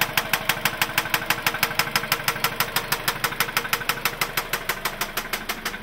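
Sharp, very regular knocks at about three per second ring out clearly over a quiet idle, a pronounced knock from inside the engine.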